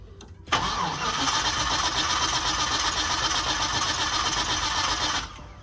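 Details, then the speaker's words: Car that starts in the morning and then won't, with fuel pressure dropping fast; key cycled 3-4 times to build pressure: nearly five seconds of even cranking at about four beats a second, no firing. Owner suspects a weak fuel pump. "It's not, motherfucker not starting at all. It's a weak fuse pump."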